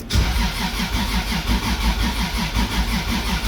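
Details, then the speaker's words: 1.5JZ engine build, fourth start attempt, ECU reporting trigger errors and not reading the crank sensor: starter cranks evenly at about three compression pulses a second but never catches. "I've been having issues with the trigger system it seems to not be reading the crank sensor"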